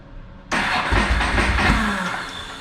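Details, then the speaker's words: Ducati 999 cold cranking on partial choke after battery replacement: short whir of cranking catches into uneven cold stumble with a pop or two; backfire while cranking, then full choke. "got a little bit of a of a backfire action Let's Go full choke it might be trying to [Music] start"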